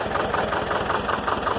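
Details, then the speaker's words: Air-cooled Deutz diesel in neutral idling low at about 200 rpm with slow, even chuffing pulses and no extra knock or rattle; a normal slow idle. "listen to that thing idles down like 200 rpm"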